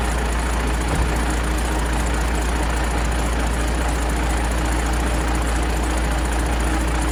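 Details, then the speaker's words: 12-valve Cummins diesel after exhaust manifold replacement and retightening a loose V-band clamp: steady, even idle clatter with no puffing or ticking from the manifold; exhaust leak appears gone, running healthy. "But yeah, it doesn't seem like that there's any more exhaust leak out of the manifold, which is great."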